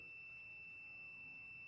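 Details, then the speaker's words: Used Honda Vario 125/150 ECU tested with a multimeter continuity buzzer across power input and ground: steady unbroken beep shows continuity, meaning the ECU is internally shorted, causing the 25A fuse to blow; a good ECU shows no continuity. "Nah, apabila buzer bunyi terus ini berarti menandakan nyambung ya, Teman-teman. Kalau nyambung berarti ECU ini konslet."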